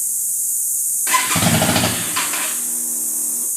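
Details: 1998 Yamaha V Star, 3,500 miles, recent carb rebuild, fuel system flush and new battery, choke on: short cranking catches briefly then stumbles roughly instead of idling; runs but shuts off when revved, hard starting.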